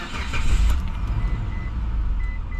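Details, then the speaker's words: 2004 Mitsubishi Montero started with a working transponder key, AC on: a quick crank and catch, then a settled, even low idle that keeps running without stumbling; normal start, unlike the old original key that fails. "as you can see it starts stays running everything is normal"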